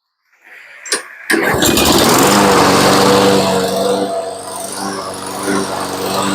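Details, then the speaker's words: Toro Personal Pace mower after carb rebuild and oil change, unused a couple of years: pull start catches at once, settles to steady, even run with no misses or knocks. Normal running. "Okay, the drive works really well and the motor sounds good. Now, she hasn't started for probably a couple of years, so I'm pretty impressed with how she runs."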